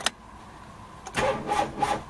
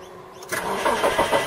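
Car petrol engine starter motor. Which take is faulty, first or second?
first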